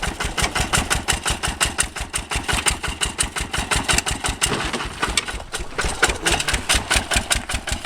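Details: 1966 Lister LD1 single-cylinder high-compression diesel on restored auto truck, completely rebuilt, just cold-started on a freezing day: crisp, even chug at a steady fast beat, no knocks, misses or rattles, running sweetly.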